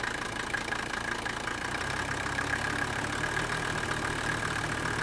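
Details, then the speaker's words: Old Mercedes-Benz turbo diesel, long unused, jump-started on possibly old fuel: even diesel clatter at steady idle, no misses, air cleaner housing barely moving. Normal idle. "look at how smooth that is look at the the air cleaner housing not even hardly moving"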